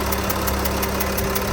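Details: 2013 Porsche Cayenne Diesel 958.1, hood open: light even ticking about five or six times a second over a steady diesel idle; source of tick not yet found.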